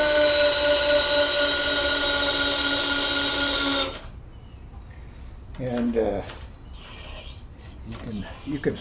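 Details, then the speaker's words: Webb 3VH milling machine power knee feed: smooth, steady motor whine at constant pitch for a few seconds, then stopping. Knee drive runs evenly and healthy. "One of the things is these handles here show one other thing about this mill is the pride and joy that I have of it. To get down here on it is the power knee."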